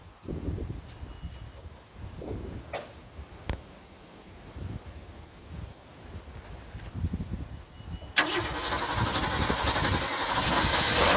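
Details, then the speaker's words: Ford/Mercury Zephyr with carburetor choke not working and weak accelerator pump, primed by drenching with gasoline: long weak, uneven cranking chuffs, then it suddenly catches and roars; hard starting from inoperative choke and accelerator pump. "e doesn't work and the accelerator Prime isn't working real well so it's really hard to start so I'm going to show you how to prime these"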